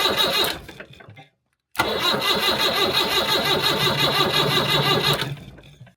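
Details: 1975 Land Rover Series 3 109-inch with Perkins 4.203 diesel after head gasket replacement and valve job: cranks briefly, catches and settles into a steady, even idle clatter with no knocks; healthy running engine.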